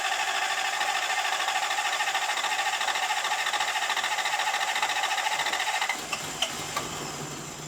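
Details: Toyota 1UZ V8 swapped into a pickup, cold start at about -7°C after new injectors and spark plugs, with the battery disconnected to reset the ECM. It catches and runs steady and even with no stumble or misfire; normal cold start.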